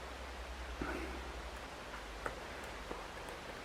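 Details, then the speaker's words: Leak-down test on a turbo engine that smoked at a track day; a faint, steady air hiss with light clicks as air escapes from a cylinder (cylinder four); the owner suspects fueling, blocked injectors or cooling. "this is cylinder two yeah i don't know if you can hear that but the air is coming out of there"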